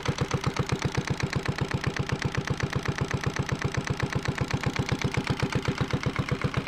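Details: Yanmar 1GM single-cylinder marine diesel from a sailboat, on a shop pallet, idling a few minutes while diluted muriatic acid flushes calcified buildup from its cooling passages: steady, even thumping about 158 beats a minute, firm low note, no knocks or misses; normal idle.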